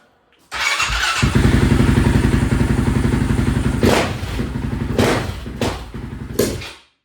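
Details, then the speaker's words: Honda TRX 700 single-cylinder with stage 3 label and Vortex ECU after map adjustments and airbox lid removed (water found in airbox): barks into life, thumps unevenly with sharp throttle blips, stumbling and loading up low; owner suspects flooding, a little rich on bottom end. "It still don't seem perfect. It seems like it's maybe flooding itself out, like it's a little rich on the bottom end."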